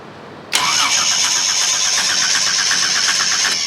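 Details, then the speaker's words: Chevy 250 inline six cranks steadily for about three seconds with no firing at all, then stops; no spark, traced to two blown fuses, possibly from a wire arcing, after earlier backfiring. "nothing as I thought why don't we have spark what am I missing"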